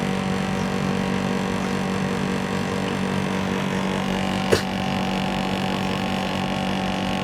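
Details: 1990s Japanese National/Matsushita CU-915KH 1.0-ton mini-split outdoor unit on a roof tile, daytime: constant low drone with rough buzzy rattle; noisy since September 2012, sometimes quieter, sometimes very loud, likely vibration.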